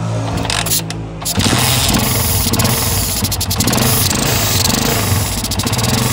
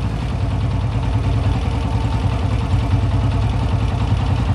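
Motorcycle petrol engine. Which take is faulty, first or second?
first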